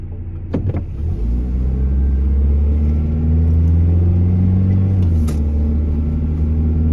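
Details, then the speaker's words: Truck road test about two weeks after a newly installed timing chain developed a noise; defective part being returned. Steady low engine drone under light acceleration, smooth and even with no rattle or ticking; engine quiet as it should be. "all righty we made it back without incident the truck is quiet like it should be"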